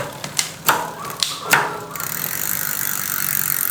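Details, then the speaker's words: Bicycle freewheel/sprocket after repair of rough noise and wobble, tested from the right side after the left was quiet: fast even light pawl ticking after a few handling knocks, no grinding or odd noise; freewheel sounds normal. "Ini dia kalau dari sisi sebelah kanan kita tes oke sudah normal ya teman-teman"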